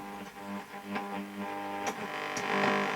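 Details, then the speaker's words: 1956 EKCO U243 series-strung LW/MW/VHF valve radio, first power-up: programme plays over a steady heavy low mains hum; possibly poor input filter caps, plus mains interference the series-strung set tolerates badly; cause not confirmed. "As you can hear, a lot of mains hum, and that's possibly down to it. Poor filter caps on the input."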